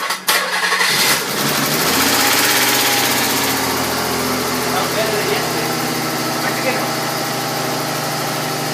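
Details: Nissan Z first start after 120 kit install and redone timing belt (loose pulley had let belt rub covers): brief crank, catches quickly and settles to a steady even idle with no ticking or belt rub; healthy.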